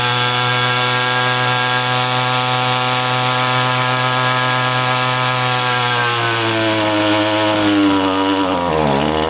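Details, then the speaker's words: Echo string trimmer powerhead (two-stroke): holds a steady high buzz, then revs sag and waver and it wants to die when the fuel cap is loosened. Fuel starvation from a failed fuel pump. "So that was kind of crazy, right? You loosen the fuel cap and the machine wanted to die out. That's not a common thing, and a lot of you might be thinking it's the tank vent."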